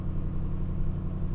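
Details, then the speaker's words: A 2006 Mustang GT V8, previously misfiring intermittently, now has new MSD Blaster coils and Champion 7989 plugs. After sitting four to five days and started cold, it gives a deep, steady low rumble and a smooth idle with no misfire. "and i want to pay attention to the idle how it's idling and how it's gonna warm up yeah it feels good it feels really good so far"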